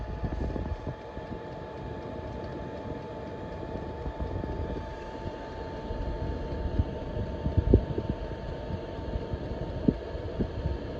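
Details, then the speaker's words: Chinese diesel heater, nearly 2 years in a self-converted van, running after warm-up: even steady hum with constant mid-pitch tone over soft low rumble, pump quietening, no knocks or rattles; normal. "That's the pump working, and then what happens, it starts to level out and it starts to go quieter and quieter, the pump, but continue to push out a decent amount of air."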